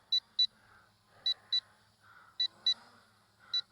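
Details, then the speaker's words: LSRC KS66 brushless drone at end of flight: sharp high beeps in pairs about once a second over faint rotor hum; low-battery warning beep signalling flight end. "oh there we go and that'll be the end of the flight rapid beeping and that's it so that's the flight time you get out of it"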